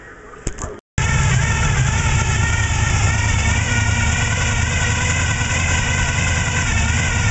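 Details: 1995 Silverado 454 V8 (Gen 5) with gear drive and high-lift short-duration hydraulic cam, otherwise stock: lumpy, uneven lope and irregular beat at idle; rough idle attributed to low compression.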